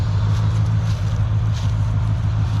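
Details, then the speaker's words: Squarebody C20 truck V8 running again after sitting for years, idling warming up after an oil change; still smoking a good bit but all eight cylinders firing, with a deep, steady, smooth idle. "still smoking a good bit but it is running and i believe it's all eight sounds nice and smooth"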